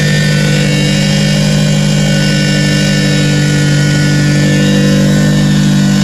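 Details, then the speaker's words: Roshi, 4AG four-cylinder, running in neutral just after new alternator belt fitted (old one failed at autocross); strong even note with no squeal or chirp from the belt; engine and accessory drive healthy. "Alright, sounds like, as you guys can hear, that he is alive. Just gonna walk over here. The belt appears to be doing well."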